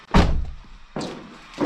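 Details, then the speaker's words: Mk3 VW Golf with swapped 1.8T engine, first start attempt with fuel pump and coil packs disconnected, no dash lights: three heavy dull thumps about 0.7 s apart while cranking; owner suspects the solid engine mounts. "now i do hear a loud kind of thump sound but that might be"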